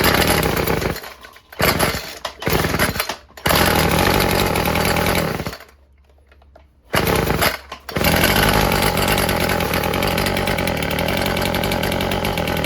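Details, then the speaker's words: Old Stihl FS36 two-stroke string trimmer after its fouled plug was torched clean: uneven, burbling, lumpy idle with brief drop-outs. Owner suspects it is running a little rich, before the low-speed carb screw is adjusted. "It's almost like it might be running a little rich. So, let's try adjusting it."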